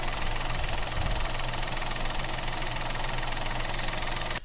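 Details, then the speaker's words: Citroen C3 1.2 12v three-cylinder at idle after repair with the sealing ring reinstalled: earlier pressure-cooker-like hiss from behind has stopped; steady, even low hum, no intake hiss; normal idle. "ele tinha um barulho parecer uma panela de pressão desfiadinho que vir aqui de trás agora parou não tem mais aquele barulho era aquilo ali mesmo"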